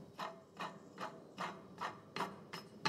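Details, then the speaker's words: Maserati GT (about 20,000 miles since last timing belt service) water pump hand-spun off engine: gritty rough bursts two to three times a second; pump jars when tapped and rocks; bearing worn and collapsing. "let's have a quick look at the water pump the the belt runs on the back of this but you'll hear this is quite harsh when I spin"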